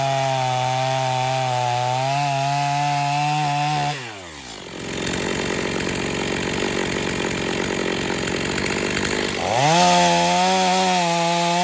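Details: Stihl MS250 chainsaw test cut after a carb tuning job for not restarting when warm; tuned rich for break-in, possibly slightly low compression from fines. High steady wail bogs as the chain bites wood, then snaps back to full revs. Healthy cutting under load.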